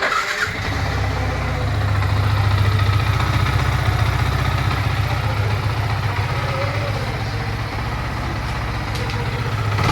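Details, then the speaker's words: Yamaha MT-15 after fixing loud engine noise with new timing chain, decompressor and adjusted rockers: catches and settles into a steady, even single-cylinder idle with no ticking or chain rattle; back to showroom condition. "Bike का जो sound check किया ना आप लोग एकदम showroom condition हो गया guys."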